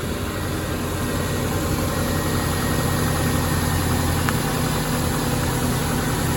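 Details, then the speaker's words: 1998 Subaru Legacy Outback just after starter replacement: steady low idle with even pulse and slight load change as the AC compressor kicks in; engine running normally. "AC just kicked in. That's what that sound was."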